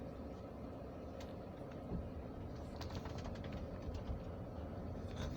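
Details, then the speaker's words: Toyota Camry after repair (moon roof mounting bolts loosened and retightened), driving over a bump: steady road rumble and tyre noise, no overhead clunk; roof quiet. "you can see we had no noise let me go back and see if it ca g and didn't come up"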